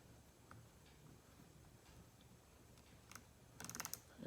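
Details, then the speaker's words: Tekota 700/800 reel after Dragmaster drag washer upgrade, spool turned by hand gives light, uneven ticking a couple per second; drag clicker working as it should. "if it worked right I can hear it clicking I'm good to go"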